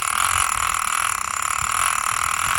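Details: Penn International II 16S right-hand fishing reel, Made in USA, with its clicker engaged: fast, even, loud ratcheting clicks with a bright rasp as line pulls off; the clicker is working properly.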